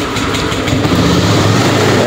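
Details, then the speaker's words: Honda Scoopy (2018-2020) scooter started after the fuses were refitted and the indicator light stopped blinking: the starter whirs, then the engine catches and settles into a steady, even run; normal start. "Ya, hidup ya."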